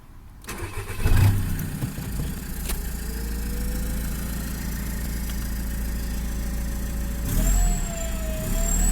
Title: Common rail TDI turbo failure